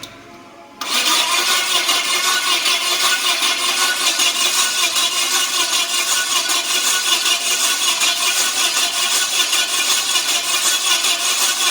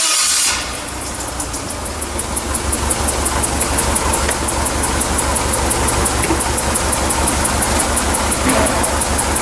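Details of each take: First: Yale forklift with Mazda FE engine, no start: long crank with loose uneven beat around 2.5 pulses a second and weak punch; low compression in multiple cylinders, suspected carbon buildup keeping intake valves from seating. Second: Yale forklift with Mazda FE engine, during a running compression test: starts promptly and settles into a steady, even idle with no misses or knocks. The compression waveform is symmetrical, though owner suspects carbon on the intake valves is lowering compression.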